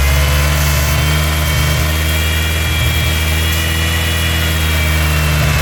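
Steady idle with a thin hiss and faint whistle riding over it that never settles; that points to a big vacuum leak.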